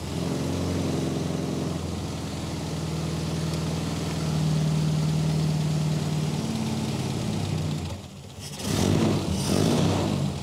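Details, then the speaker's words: Mini A-series engine (used) in rat rod, initial tune-up before balancing airflow, in neutral: slow, uneven labouring idle barely running; idle screws to be turned up. Low idle speed. "so it is barely barely running [Music] we're gonna turn the idle up turn both of these screws maybe a full turn"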